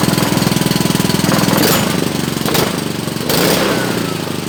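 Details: Honda GC160 5 hp single-cylinder engine after hard-start repair, weak spark and carb fuel leak noted: started with choke, pops evenly at quick steady rate with a few throttle swells; runs cleanly.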